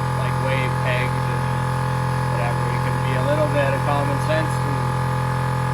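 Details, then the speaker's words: Air Zenith air-ride compressor after teardown and repair of a loud noise first suspected to be a piston rod bearing. It gives a smooth, steady low hum with no knocking or rattling; the pressure switch no longer shuts it off. "yeah other than that compressor sounds much better now so that's a plus"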